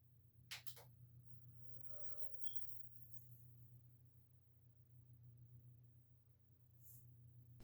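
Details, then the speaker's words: Gaming PC fan that was disconnected with the old cooling system, checked as a possible source of grinding after storm damage and overheating: quiet, even low hum, no scraping or grinding, a couple of handling clicks; fan running fine. "well well well well the fan looks and sounds like it's working fine"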